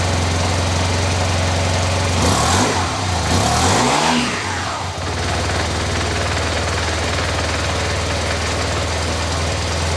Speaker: well all the panels are back on I haven't got any parts left so let's give it a fire up I got the battery hooked up again you can hear the pump yay